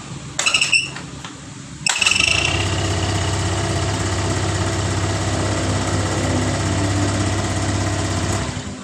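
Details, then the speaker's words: Honda Vario 125 (old model) with a faulty ACG starter: short high squeaky scraping chirps while cranking, gone once the engine fires and settles to an even idle. "Jadi gitu teman-teman ya. Saat di King starter itu ada bunyi the cheat awalnya tapi setelah mesin hidup bunyi indit itu hilang."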